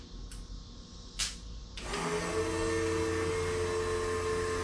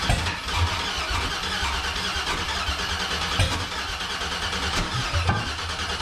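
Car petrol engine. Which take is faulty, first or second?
second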